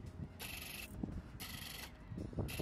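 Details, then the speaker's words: Canon EF-S 18-55mm f/3.5-5.6 III kit lens focusing during video recording: three bursts of high whirring buzz under a second each as it hunts slowly; loud focus motor noise typical of this lens. "While recording video, the lens focuses quite slowly, and the focusing motor makes some loud noises, as you can"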